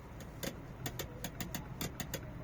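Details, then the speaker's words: Volta V1 steering: sharp irregular scrapes and ticks, about a dozen in three seconds, worse when the wheel is moved very slightly, like a plastic part rubbing; cause unconfirmed, to be checked at service. "Sanki bir plastik parçası bir yere sürtüyormuş gibi."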